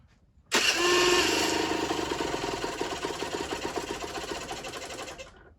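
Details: Generic Trigger SM 50cc two-stroke with a stiff temporary throttle cable: snaps to a high buzz and hangs, sagging only slowly, even with the fuel-pump port blocked by a finger. Owner suspects an air leak, later found at the intake manifold; jets were also blocked.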